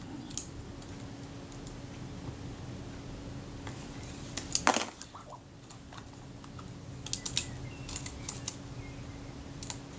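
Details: Rebuilt camera shutter, film advance lever wound after the curved rack was reset: light mechanical clicks with one crisp snap near the end of the stroke; the shutter cocks correctly, normal shutter cocking.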